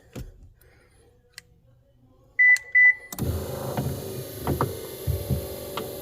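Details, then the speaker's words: 2015 Subaru rear power liftgate, prop rod removed: a couple of beeps, then the hatch motor hums with uneven clicks and knocks from the gear; hatch stops partway. Loose gear mount nut on the liftgate drive gear and motor. "it feels like this is loose look at this this thing is loose right here see it's this is the gear and this is the motor so it's loose here somewhere"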